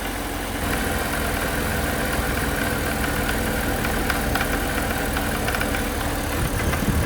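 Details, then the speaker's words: BMW E90 330xi at idle: rough running with uneven metallic rattle, pulleys and belt tracking true so not accessory drive; suspected lean intake backfire or loose spark plug, likely internal knock, engine judged toast. "Could be backfires, lean backfires in the intake. a loose spark plug. It definitely doesn't sound like accessory drive."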